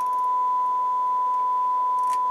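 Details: Rotel RX-802 receiver on speaker system one, playing a 1000 Hz test tone at about 24–26 W with a scope and voltmeter attached. Steady, pure mid-pitched tone with no buzz, crackle or dropouts; output is clean.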